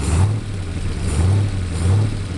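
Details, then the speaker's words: 427 with Holley 2300C carburetor, idle mixture screws 1.5–2 turns out, manifold vacuum advance: each throttle blip bogs, nearly stalls, then recovers; accelerator pump works, owner suspects low-to-high speed circuit or power valve, unconfirmed. "It's trying to stall out. If you feather it, give it a little accelerator pump, see the fuel dumping in."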